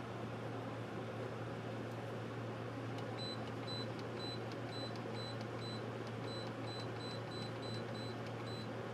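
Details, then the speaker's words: Wall heater on its first start of the season in heat mode on low fan, with the setpoint run from 61 to 86, burning dust off: steady low fan hum with a constant drone and short bursts of beeps as settings change; normal heating operation. "Getting warm already. I can smell it burning the dust off."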